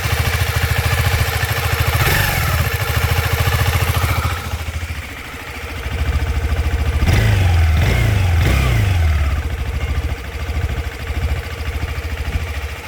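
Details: KTM 390 Adventure after valve lash adjustment: single thumps at idle and on blips with a faint whir rising with revs; cam chain whirring caused by the cam chain tensioner set too tight.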